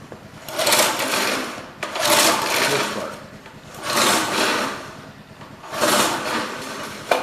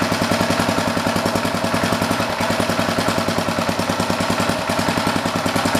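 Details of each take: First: Old rototiller, guessed late-1960s to 1970s, with a Briggs & Stratton engine, after cleaning: four pull-starter whirrs, each a couple of seconds, with no firing. The engine turns over but won't start because there is no spark. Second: Old rototiller's Briggs & Stratton single-cylinder engine, with the air filter back on, ticks over at a steady, even idle with no misses, knocks or surging; sounds healthy.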